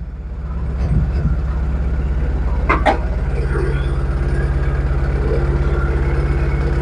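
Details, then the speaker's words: Proton Wira engine that stumbles when warm after about 5 minutes or at speed; uneven idle, about three throbs a second with irregular stumble, misfire traced to a faulty ignition coil sparking externally. "Hmm. Wah. Ni macam semput sikit ah."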